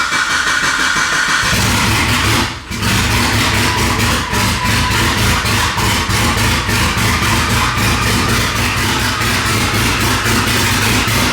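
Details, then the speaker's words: Mitsubishi Evo 9 with a built engine and new turbo setup, first start, untuned, with fuel pressure, TPS and MAP sensor not yet set: it catches and runs loud and raw with a lumpy, big-cam-like beat and blips; rough running. "uhoh I got to turn it off because I I'm trying to connect and sounds like he got like the the big camls tune"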